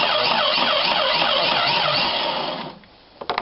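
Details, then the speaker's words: 1995-96 Jeep Cherokee XJ 4.0 petrol (UK Limited), in park, starter solenoid terminal jumped directly to bypass the immobiliser: even, strong cranking at about three and a half beats a second; the engine turns over normally. "splendid so I know I can actually turn the engine over so all I need to do is either piggyback off the ignition switch or even put in a separate starter by the engine turning over"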